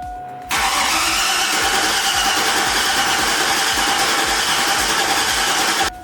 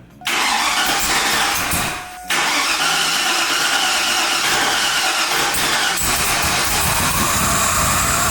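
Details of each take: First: 2002 Silverado 1500HD being rebuilt with a big cam and ProCharger, cranked to build oil pressure with fuel pressure present but no mass airflow sensor plugged in: the starter whirrs steadily for about five seconds and the engine never catches. Cranking without firing. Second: 2002 Chevrolet Silverado 1500HD being rebuilt with a Vortech V3 supercharger kit, first start attempt: long harsh cranking whirr with a short pause, never catches; fuel and oil pressure present but mass airflow sensor left unplugged.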